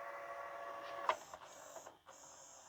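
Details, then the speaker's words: LG/NEC VCR after mode switch cleaning: soft motor whir with a few mechanical clicks as it shifts, then steady tape winding; fast forward working normally. "Goes to its little paces. And we can hear it wind up. That's excellent."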